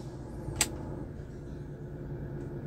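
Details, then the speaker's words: Hyundai Avega running with AC switched off, light revving: even, steady low rumble, no rattle or roughness; normal running with AC off, roughness appears only when AC compressor engages. "kita gas nah ini baik-baik saja enggak ada sama sekali masalah ya Semua normal"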